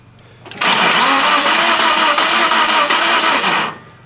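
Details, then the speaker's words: Subaru Impreza crank-no-start, plug removed for spark test, injector pulse present: steady even cranking about three seconds with no firing; no spark. "Uh so we got one out and it's looking like we got no sparks. So, we'll give it a crank."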